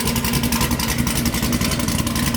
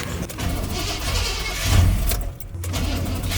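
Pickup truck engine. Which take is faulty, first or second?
second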